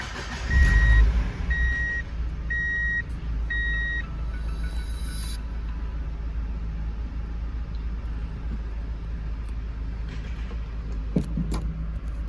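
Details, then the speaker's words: NB Mazda Miata start-up: four dash chimes, then a steady low idle with only faint, normal clicking and no loud valve tick right at startup. "this issue will start right when you start up the car not really after you start driving but as you can hear here it's not making like clicking sounds a little bit as normal like this"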